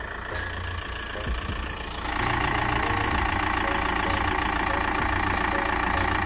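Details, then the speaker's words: Van engine after a worsening noise traced to a cracked crank pulley, with new crank pulley, belts and tensioner fitted. Steady, even idle with a smooth hum and no knocking or ticking; fixed. "oh yeah yes yes yes well i mean the tensioner as well so lovely happy days fixed sounding lovely"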